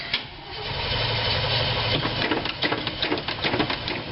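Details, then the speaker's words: 1986 GMC Blue Bird bus, 366ci big block with 4bbl Holley, after throttle linkage adjustment; cranks steadily about 2.5 turns a second without catching, accelerator pump delivers little fuel, fires right off with choke. Fuel delivery problem suspected. "nothing it won't pump any gas into the carburetor might be pumping a little [Music] bit yeah nothing but pull the choke out and she fires right off"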